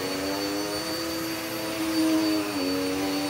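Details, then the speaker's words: Vacuum cleaner on medium pile carpet, height setting two, after cleaning and likely a new belt: loud steady low-pitched drone, described as mooing like a cow, with a hum that wavers slightly; unusually noisy motor, cause unclear. "and it's not quiet no this isn't quiet it's like it sounds like a cow or something it's like moo"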